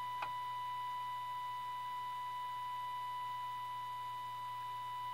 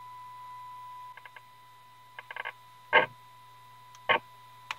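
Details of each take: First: 1932 Tiffany Tone Model 5 radio after full recap, during IF alignment near 465 kHz with signal generator: clean, steady high tone with faint low hum, no crackle or fading; playing normally. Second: 1932 Tiffany Tone Model 5 tube radio, IF tuned to 465, signal generator in, volume full: thin, faint test tone under handling clicks, barely audible; cold solder joint on a tube socket pin weakens signal, louder once resoldered.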